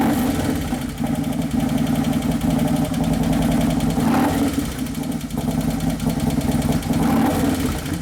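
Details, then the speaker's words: 2011 Harley-Davidson Road Glide Twin Cam after motor and primary repair, first heat cycle: loping idle with slightly ragged, hunting beat and uneven pulses; sounds possibly lean, cause not confirmed. "it sounds like it's kind of lean it's as possible for the computer to be lean like that"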